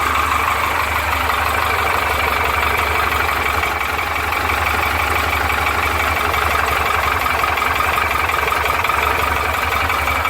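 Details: Porsche 912 engine at idle: light rapid ticking clatter over the rumble, described as piston slap.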